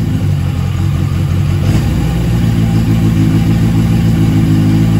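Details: Yamaha XJ750 carbureted four after day-long Seafoam soak in carbs and tank, formerly ran only on starter fluid, idle screw adjusted: steady even low burble, constant beat, no misses; running clean and healthy.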